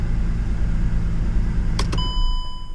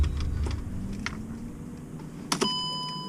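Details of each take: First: 2009 Mercedes-Benz C350 after fixing a coolant temperature sensor issue: even low idle rumble with no fan roar, then engine shut off and chime; code still on but running better, fans not kicking on. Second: 2009 Mercedes-Benz C350 after sitting during deployment, engine off with ignition on: radiator fans kick on immediately at full blast with steady whooshing roar, door chime and clicks; coolant temp sensor wire cut, computer reads high output and forces fans on.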